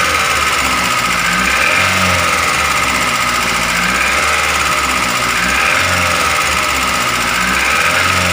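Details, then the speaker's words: Daihatsu Gran Max engine, rough noise at idle: fast, sharp metallic tapping at the top end over the idle; valve tapping from excessive valve clearance (piston and bearing also considered before teardown). "Hai demos Bro suara saat mesin hidup itu kasar seperti ini makanya kita akan membongkar untuk melihat apakah dari piston dari metal atau dari klep yang bunyi"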